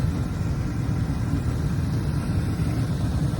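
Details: Carrier horizontal 80% efficient gas furnace with AC, made in 2001 (21 years old), in an attic, during a tune-up: even low rumble of burners and blower, no rattles, squeals or surging; running normally.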